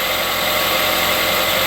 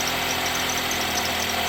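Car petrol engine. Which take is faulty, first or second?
second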